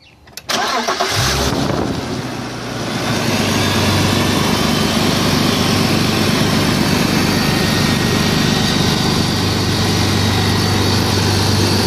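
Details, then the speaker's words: BMW E46 at cold start: engine settles into a fast cold idle with a steady airy whir on top, the secondary air (smog) pump running normally. "first i'm gonna show you how the smog pump works well how how it sounds all right fire it up"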